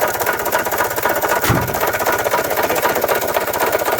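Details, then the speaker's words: 1993 Toyota Tercel on a lift, just started during its revival, heard at the engine: heavy, rapid knocking at about four per second over a rough idle, and it won't accelerate. The owner suspects rod knock; the cause is unconfirmed. "yeah something is definitely wrong there that's a lot of knocking and uh it won't accelerate at all and uh that's a whole lot of knocking it sounds like a rod knock honestly"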